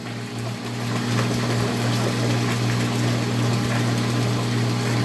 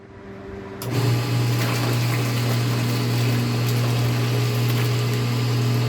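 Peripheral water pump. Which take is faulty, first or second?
second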